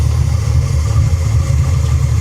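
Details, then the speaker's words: 1989 Ford Mustang GT Foxbody V8 at idle: loud, heavy low chuffing pulses; severe blow-by splattering oil over paint, owner suspects damaged rings or lower-end damage, possibly valves, not confirmed. "yeah how about that the blow-by it's so bad that it has splattered oil all over the paint"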